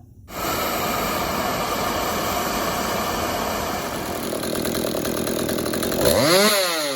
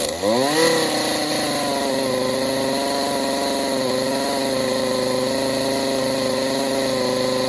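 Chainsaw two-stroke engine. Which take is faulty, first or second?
second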